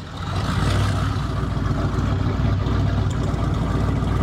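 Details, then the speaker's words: 1988 Chevrolet Silverado, long parked, misfiring: deep uneven idle that lopes and sags as if about to stall, loose clattery beat under exhaust rumble; owner suspects bad gas, Sea Foam added, cause unconfirmed. "this truck needs a lot of attention right now see look how it's trying to F dead on me"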